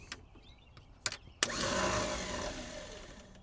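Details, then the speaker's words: Abandoned Chevrolet C10 project engine, starter jumped directly with not all plug wires hooked up: a couple of clicks, then a free, high whir that spins up and fades without cranking. The starter isn't engaging the flywheel; either no flywheel or the gear isn't throwing out. "Doesn't sound like it's engaging anything. That means one of two things. Either there's no flywheel in there or the starter's not throwing the gear out."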